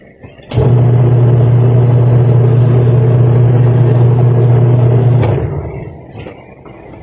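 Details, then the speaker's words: Panasonic twin-tub washing machine after replacing the 8 µF capacitor: motor starts, runs with a steady low hum about five seconds and stops; previously it hummed but would not spin. Repair successful. "yan narinig at nakita niyo naman okay na siya bale Okay na to"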